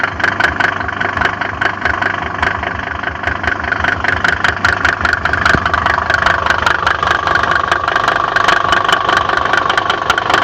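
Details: Mercedes OM605 diesel at idle: sharp, fairly regular knock ticking about two and a half times a second over a steady idle; cause unknown.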